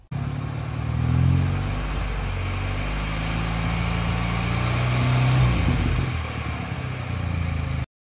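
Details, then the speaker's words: BMW 116i F20 with the N13 engine, idling after repair: smooth, with light throttle blips and no knock. It previously knocked only when warm from a cracked crankshaft; the crankshaft and bearings were replaced. "so we replaced the crankshaft slapped on some new bearings and then it was fine as you'll hear now"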